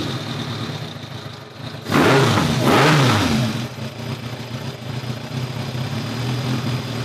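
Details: 2002 Kawasaki ZRX1200R, four-cylinder on Keihin CVK carbs, sat for a while, started with enricher on: revs blip and settle to a fairly steady idle with slight roughness on the way down; runs better but still pops on deceleration.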